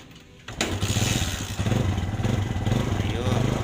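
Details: Kawasaki Barako 175 single-cylinder motorcycle that needs ten kicks to start: catches after kicking and settles into a slightly uneven, lumpy idle; hard starting, cause unclear.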